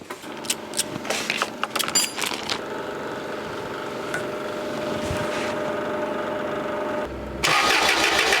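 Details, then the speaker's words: Forklift sitting two years after sudden shutdown, 15 amp fuse replaced and dash now powers up, still no spark: a few clicks then steady starter whir about four beats a second with no firing; cranks but will not start. "uh giving power to the EF1 main uh leg which is the 31 that sends power to the rest of the unit and to see if it's got spark and it still doesn't have spark."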